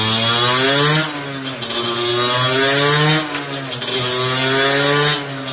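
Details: Two-stroke on a dyno bench with a 17.5 mm carburettor, after setting the main jet, air mixture screw and needle: sharp blips rise crisply and return straight to a steady idle each time, with no stumble or hesitation. Normal revving, well-tuned carburettor.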